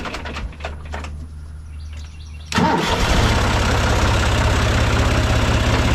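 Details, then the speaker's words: John Deere 2155 diesel tractor after the faulty starter solenoid was replaced (before, it only clicked and wouldn't crank): a click, brief starter whir, then it catches and settles into a steady, even idle; fixed. "All right, I'd say it's fixed. All right, not too bad of a job."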